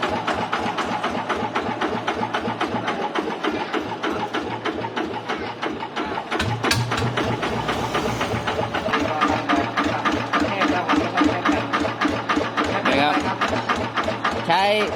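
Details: TF115 engine upgraded to 150: steady, even idle at a fast regular beat with no ticking or tapping; engine sounds healthy.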